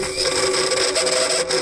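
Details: 1957 Gravely starter motor with the starter chain removed, jumped post to post with a screwdriver because the starter switch failed: steady, high, even whirring hum with a rasp; the starter runs fine but may need a drop of oil.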